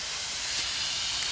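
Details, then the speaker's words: Heat pump condensing unit with no heat and completely out of refrigerant. Constant sharp, unrhythmic hiss of pressurised gas escaping from a rotted liquid-line filter drier at the king valve. The drier is to be cut out and relocated outside. "This thing's completely out of freon."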